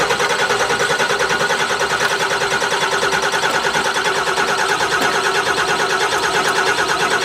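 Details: 2008 Ford Super Duty diesel, first start with ether in intake: loud, uneven clatter and lumpy firing while air is still being purged from the airlocked VP44 injection pump.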